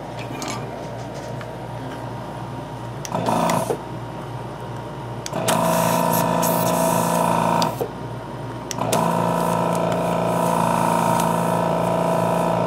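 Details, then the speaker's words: Hakko 470 desoldering station with 802 gun, vacuum pump after new valve plates fitted and cleaning (previously weak then no suction): short bursts of even-pitched pump motor hum starting and stopping cleanly; good suction restored. "so it's together on piece now already I can feel as a lot of suction when I do this"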